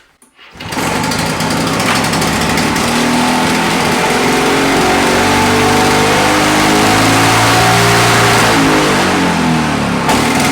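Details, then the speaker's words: Victa Mustang 20 two-stroke mower after replacing manifold O-rings and finding a cracked manifold with a missing inlet O-ring: catches on the pull and settles into a steady, buzzy beat holding speed cleanly; runs really nicely. "so that has really sorted out how that engine runs runs really nice"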